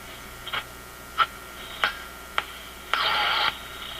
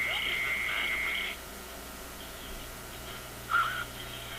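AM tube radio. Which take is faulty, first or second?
second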